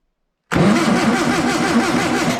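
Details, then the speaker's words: Long-stored air-cooled VW engine cranked with 12 volts fed to the coil: steady even cranking with compression rhythm for two seconds, no catch; no spark, ignition points dirty and corroded; owner wonders if system is 6 volt. "And now we check again with 12 volt to the coil. But still no spark."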